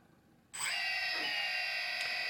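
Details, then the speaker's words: DJI Phantom Vision/Phantom 2 after T-Motor Antigravity motor conversion, powered up with motors at idle speed: sharp spin-up into steady high whine, no roughness; normal idle. "all right now you can hear the uh the the motors and they're working uh at idle speed"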